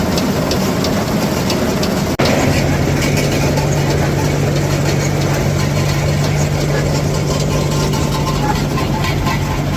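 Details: New Holland 479 haybine, tractor-driven, after greasing: constant low drone with rough rattly chatter; owner attributes it to missing wobble box bearings, operation smoother with new grease.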